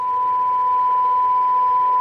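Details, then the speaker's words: 1978 Craig 4103 23-channel AM CB radio, function-generator AM test signal at 10 dB SINAD reference sensitivity: clear, steady high tone of constant pitch over light hiss, received cleanly. "on the cyanide meter that's giving us our 10 db synapse which is the reference for this radio so that's what it sounds like you can hear that tone in the background there"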